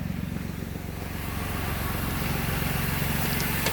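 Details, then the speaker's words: Rebuild car idling with the engine light on, traced to a broken O2 sensor wire: steady, even low thrum at about three pulses per second with no skips or knocks; normal idle. "but as you can see she purring like a kitten"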